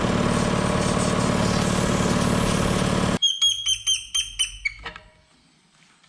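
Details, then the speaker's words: 60-gallon Black Diamond compressor with hammering factory pump replaced by Harbor Freight pump, 30-weight oil added: fast even pumping beat with steady low hum, then stops with light clicks; cuts out about 120 psi, back in about 100; running smoothly. "i don't know what it's going to do after it gets a bunch of pressure build up that thing is a lot quieter than the old one"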